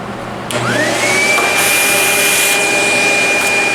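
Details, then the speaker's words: Vacuum cleaner running after its brush roll was cleaned of hair and a lodged object that had caused funny noises; motor spins up to a steady, clean high whine with no thumping or rattle from the brush roll, running normally. "Okay, let's turn it on and make sure that it sounds properly. Now that the brush roll is clean."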